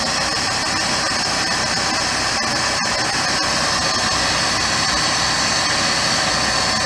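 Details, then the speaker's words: 2006 Jeep Grand Cherokee V6 idling right after water pump replacement, before air bleeding: steady, even run under a heavy hiss, no knocking or squealing; much quieter than before the change, no leaks seen. "it sounds a lot quieter than it did before we changed it I don't see no leaks"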